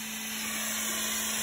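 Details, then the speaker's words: CO2 laser cutter, after replacing the distilled cooling water with the chiller at 16.5°C, cutting at speed 18 and 70% power: a steady airy hiss with a low even hum. There is no whistle or squeal, so the cutting is now normal. "что и требовалось доказать все проезжается кипятка нет хорошо"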